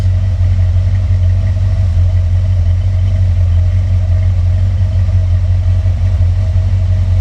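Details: V8 engine pulled from the truck Creampuff, running on a test stand with exhaust fitted. Deep, steady idle burble with an even pulse and no misses or knocks; smooth.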